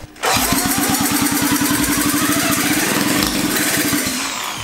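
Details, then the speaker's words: Rebuilt 1975 KC27 294cc rotary engine from a Hercules W2000 motorcycle, first start in a kart build: catches and runs with quick uneven pops about nine a second, then sags; suspected low compression. "I just think there's so much stuff in this engine right now from what you built it that it's just having some issues"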